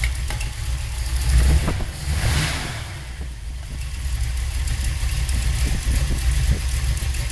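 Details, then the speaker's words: Rebuilt Holley 4150 double-pumper carb during idle mixture adjustment: low idle lopes and stumbles unevenly, beat breaking up and sagging, worse than before; best mixture believed to be about 1.5 turns out. "I don't think it's better. In fact, I'd say it's worse."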